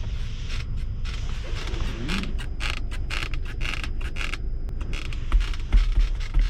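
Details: Chery Tiggo 7 Pro at about 1,920 km, nearly new: irregular low creaks and groans a couple of times a second as the centre armrest is worked; loose or rubbing armrest trim.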